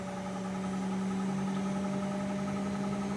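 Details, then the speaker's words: GE washer (not draining) in diagnostic drain pump test: steady low motor hum with a fast uneven rattle, about four per second. The drain pump is rattling, though no error code was generated. "can hear the pump, it's rattling. Listen."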